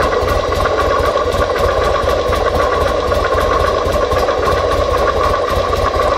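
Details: 2005 Buell XB9SX V-twin idle with uneven lumpy beat and rhythmic mechanical clatter; engine noise, source unclear.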